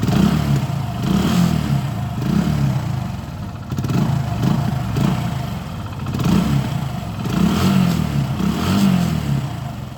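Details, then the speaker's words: Hero Passion Pro motorcycle won't hold idle, dies when throttle released, runs only at high rpm: kept alive by repeated blips, sagging roughly between; misfire from wrong air-fuel mixture, blocked carburetor jets. "ഇതാണ് വണ്ടിയുടെ issue. ഇത് miss firing, ഇത് കറക്റ്റായിട്ടുള്ള fuel burn ആവാത്തതുകൊണ്ട് അളവിലുള്ള air mixer കിട്ടാത്തതും ഈ ഒരു കംപ്ലൈൻ്റാണ്."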